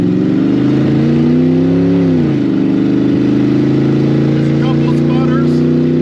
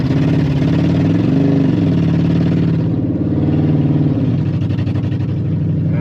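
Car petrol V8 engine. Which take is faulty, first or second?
second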